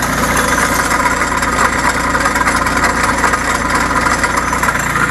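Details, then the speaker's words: Bolens Iseki H1502 diesel tractor idling after a snowy cold start: steady diesel idle with a constant buzzing rattle over it; a visibly moving loose cover is vibrating and making the noise. "it does so leap out a little bit at that line but and you can see that cover moving that's what's making that noise"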